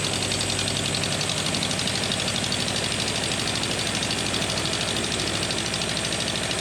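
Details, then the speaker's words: Steady, regular idle with no stumbling on a freshly swapped engine in a car called the Ninety, started with a little choke, cooling system not yet refitted; its longest run yet, though ignition timing is still far off. "well it runs really perfect oh thank goodness for that um that's the longest it's ran it's first fight life really sounds okay"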